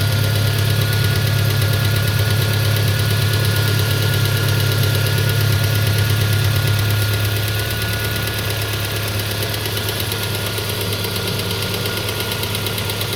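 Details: Peugeot 407 2.2 petrol, cold idle, Total 9000 5W40 oil: steady rapid knocking about three per second, easing slightly as it settles. It appeared after ring replacement, valve lapping, valve stem seal replacement and idle-air channel cleaning. Cause unknown.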